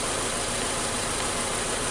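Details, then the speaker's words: 2014 Nissan Sylphy with a check-engine light, P0303 cylinder 3 misfire and sudden loss of power; rough, stumbling idle. A scope test and coil swap showed the cylinder 3 ignition coil had failed. "let's set this up and see if we see anything concerning like most likely it's a fail coil right"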